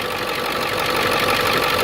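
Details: Ford Excursion 7.3 diesel idling right after new pulley housing and serpentine belt replaced the seized tensioner and frayed belt: dense, steady clatter with even tone, no squeal or rattle; normal, healthy idle.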